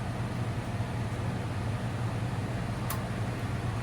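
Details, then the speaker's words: Furnace blower running while the humidifier and its solenoid valve are tested: steady low hum and airflow rush with no rattles, scraping or squeal; blower running evenly and healthy. "Okay, like I said, now the system is running. You probably can hear the blower, running."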